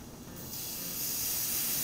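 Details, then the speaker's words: Faucet valve with flow opened up: a steady airy hiss builds and grows louder as turbulence sets in within the valve, and it goes away when the flow rate is turned down to laminar flow; normal turbulent flow hiss. "you hear there that hissing sound is the turbine to the water making its way to the valve if I turn the flow rate down the hissing goes away"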